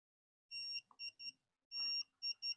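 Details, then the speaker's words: Greddy vacuum/voltage gauge fitted to an old Honda CB150R, engine off, low-battery alarm set at 11.2 V: voltage drops to about 11 V with lights on, triggering repeating long-short-short electronic beeps. Low battery voltage warning. "di bawah 11,2 di sini sudah ada perhatian bunyi oke Oke 11 jadi bunyi"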